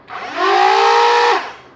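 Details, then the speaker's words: Modified Stryfe Nerf blaster with two MTB Rhino 130 flywheel motors, 16awg rewire, 15A microswitch and motor-braking wiring: quick rising whine holds a second, then drops away almost instantly instead of the usual few seconds; normal fast braked spin-down. "So you can hear that it'll rev up pretty quickly and then rev down almost instantaneously."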